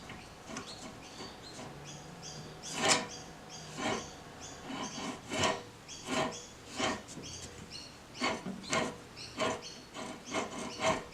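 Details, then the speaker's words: 1985 table saw on the bench, arbor spun by hand before bearing replacement: gritty, scraping rasps from badly worn spindle housing bearings. "With it on the bench, you can really hear how bad the bearings are."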